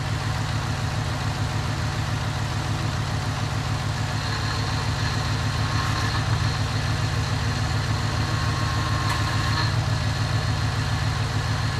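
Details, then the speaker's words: 2001 Cadillac DeVille just started cold after new starter: smooth, even low idle with steady rumble, no ticks, knocks or stumbles; running healthy, owner says it sounds good. "go biggie come on baby sounds good all right see i've got the power"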